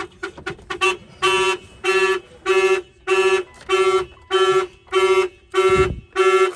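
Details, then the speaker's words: Mitsubishi Evolution 8 with a newly installed basic aftermarket alarm (Avatar 3100 remote, starter kill): loud, evenly spaced siren blasts at about 1.5 a second and steady pitch. The alarm is triggered and working. "If somebody bangs in the vehicle, the alarm will fire off. Okay. Of course, if they open the door, the alarm will trip."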